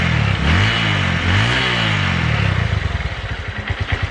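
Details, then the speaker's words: Honda Verza single-cylinder after fixing hard starting. Runs smoothly, then drops to a slow, loping thump near stalling. Healthy, but idle is set slightly low and needs raising; piston and block possibly still bedding in. "ya alhamdulillah sudah langsam sobat ya ini kayaknya kerendahan ini lansamnya tinggal dinaikin dikit ya"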